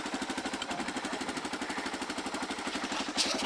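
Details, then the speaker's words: Engine idling after starting following a week unused, battery revived with Epsom salt: quick, even pulsing exhaust beat at steady idle with no knocks or misses; idles smoothly and sounds healthy. "Yep, my battery trick worked with the Epsom salt, so that's awesome. So we're definitely romping."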